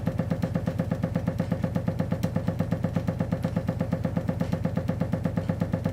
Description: Odd when the boiler starts up the already dripping tap starts dripping faster and creates a cycle of water hammer.